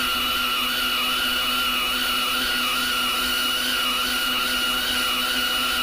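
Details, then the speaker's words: Lathe turning a 10-inch 4140 heat-treated vertical gearbox output shaft with deep journal corrosion: steady high whir with wavering upper tone as the cut bites; heavily loaded, operator backs off the cut; lathe straining under heavy cut. "that seems like we're loading the machine pretty good here I'm up back off on that bead sounds there just sounds like it's really loading up today"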